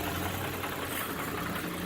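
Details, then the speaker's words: 2002 Nissan Maxima SE 6-speed, odometer around 169 (rest cut off), which cut out on the freeway at about 70 mph, oil level OK: steady idle with a faint light knock; owner suspects rod knock, not confirmed. "I can sort of hear a knock in there this does it idols"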